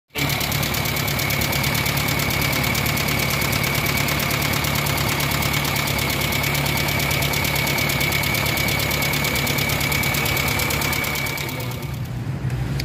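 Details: Kia Pride engine at steady idle before repair; fast even light ticking about four per second over engine hum, valvetrain tapping from exhaust-side rocker arm lash adjusters found stuck with no play.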